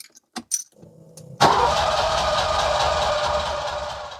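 Quiet clicks, then a sudden loud start of cranking that churns unevenly for three seconds without catching: turns over but gets no fuel.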